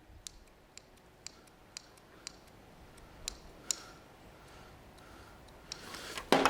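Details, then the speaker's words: 2002 Renault Master 2.2 dCi van with no power and black smoke, EGR valve on its cleaning cycle: faint, evenly spaced clicks about twice a second as the actuator tries but fails to push the piston; EGR valve actuator completely dead. "that should be clicking up and down up and down it's trying and I put my finger on it it's trying but it's not"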